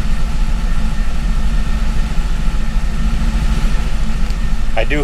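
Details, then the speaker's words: C5 Corvette with Gen 3 LS1 and 411 PCM, running a new LS3 90mm gold-blade throttle body after an HP Tuners tweak with no wiring changes: after a hard cold start it idles with a deep, steady V8 rumble while warming up; normal idle. "it definitely didn't like that cold start for some reason so we'll have to kind of play around with that a little bit but I was able to get it to run an idle we'll let it warm up here just a second"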